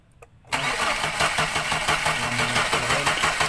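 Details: Mercedes-Benz Elegance: starter churns the engine over at about three beats a second, steady and even, but it never fires; crank, no start, spark plugs being checked.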